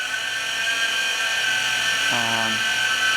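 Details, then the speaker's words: CycleOps Fluid2 bike trainer, two years old, ridden in the big ring on road slicks: a loud, steady high-pitched whine from the roller, present for over a year; tightening the bolt and the roller did not help. "it's really loud and it sounds like it's coming right out of the roller"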